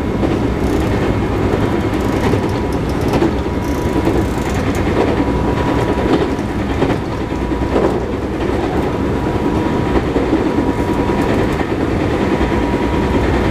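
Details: JR 221-series Yamatoji Rapid train car with field-added excitation control (top speed 120 km/h), recorded between Oji and Kyuhoji; steady rolling roar with a repeating thump that tracks wheel speed, from a wheel flat.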